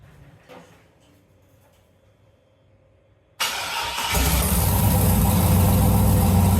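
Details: Turbocharged LS V8 swapped into a Jeep YJ, start-up after the build: silence, then it catches at once and settles into a steady, deep, even idle with no misses or knocks; normal start-up and idle.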